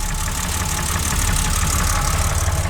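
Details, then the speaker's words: BMW E30 with worn M20B25, going bad for a while and smoking a little since 2020, leaking oil off the block: loud, rough idle with heavy low rumble and clattery edge; noisy idle, exact fault not pinned down. "yeah, it's just not a great running motor. It's ran its course, like I said."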